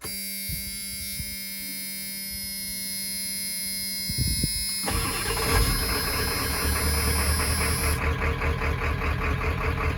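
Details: 1995 Ford 7.3 Powerstroke diesel, made roadworthy after sitting about 10 years: a short crank, catching in about five seconds, then an even, steady diesel idle clatter; a healthy start.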